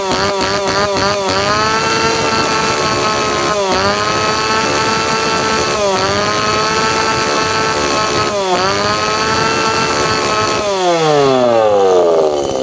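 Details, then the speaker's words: Tanaka PowerMate PMS340 two-stroke pruning saw, cold engine, after fuel delivery system repair (previously would not rev up); high buzz climbing and dropping with each blip, then spooling down at switch-off; runs cleanly. "ตอนมาเครื่องเร่งไม่ขึ้นครับปรากฏว่าระบบจ่ายน้ำมันล้มเหลวซ่อมเรียบร้อยแล้วมาทดสอบกัน"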